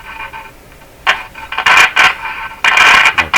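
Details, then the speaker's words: 1940s RCA Victor A23 AM/shortwave tube radio at first power-up: scratchy crackling bursts come and go over faint hiss while tuning; suspected intermittent short in the tuning capacitor plates, not confirmed. "sound is probably a short in the tuning capacitor that's the thing with all the fins back in here all the plates back in there"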